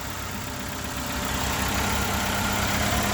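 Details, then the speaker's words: 2001 Ford Escort ZX2, first start in months or years after a safe start, low on fuel with only a partial gallon: even, steady idle with no knocks, misses or rattles; normal idle. "And she seems to be running fine, too. Oh, yeah. This is probably the first time it's run in years, at least months."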